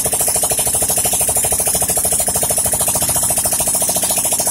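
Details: Yamaha Mio scooter that had stalled with lost compression, first start after repair: rapid even firing about three per second after the starter, steady rhythm without knocks; starts and idles normally.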